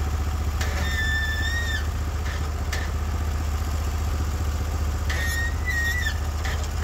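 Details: Norwood HD36v2 bandsaw mill, day two testing new roller guides (ceramics replaced), slabbing big black oak through bark, 1.5-inch slabs, about 24 inches wide: low even engine rumble pulling steadily with faint high chirps; effortless flat cut, motor loaded normally.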